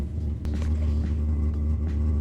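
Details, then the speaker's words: Cheap Chinese diesel heater in a Sprinter van, after fuel priming, powers up with the fan, then catches into a deep steady roar with a low flutter as the burner settles into even combustion; normal start-up, heat set to 30 degrees. "So apparently it takes just a little while to sort of warm up. You can really hear it firing up now."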